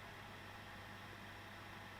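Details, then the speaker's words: ECS Liva One H610 mini PC with blower fan, Core i3 12300 in Cinebench 23 (boost 68 °C, then 65 W 3.5 GHz 62 °C, room 18.5 °C): soft steady airy whoosh, faint hum, no rattle; normal. "Let's have a little listen. You can hear the cooler ramping up."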